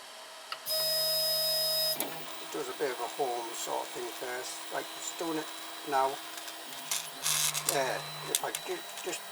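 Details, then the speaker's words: 3D printer X axis jogged by G-code with the belt removed: short whining chirps sweeping in pitch with buzzy vibration, coming from the stepper motor pressing and twisting slightly on its mount, not from the linear bearings as first suspected. "well that vibration is actually coming from the stepper just pressing on the step of it here for twisting slightly"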